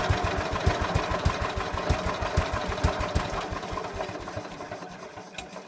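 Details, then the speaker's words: Ransomes MG5 crawler built about 1949, just revived with the magneto refitted: slow, lumpy thumping about three beats a second that wanders and fades unevenly; rough idle needing adjustment. "Need to fix that idle, I think, so. Anybody any ideas how you adjust these, tune them, tweak them, whatever, please feel free to comment."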